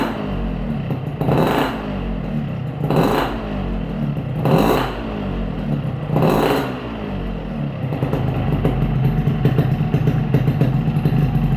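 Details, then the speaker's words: Yamaha RX-King two-stroke after replacing noisy piston with a Riko piston (0.2 different from NPP): four throttle blips then even, smooth idle, no clatter from the engine block. "Dia halus ya bosku. Jadi untuk suaranya juga dia halus, tiga sedikit tadi halus juga ya."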